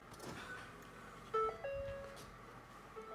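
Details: Ford Fiesta ST, engine off, during aux fuel controller install: short, clean chime over a quiet cabin at key-on; normal key-on startup chime.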